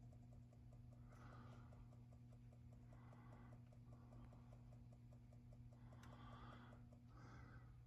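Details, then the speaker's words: Carrier Infinity furnace after igniter replacement for no-heat fault, test switch held for startup checks: light ticking about five per second over low electrical hum before inducer starts; normal zone damper clicking. "We're gonna hold down this switch and see what we get. There's some clicking noises."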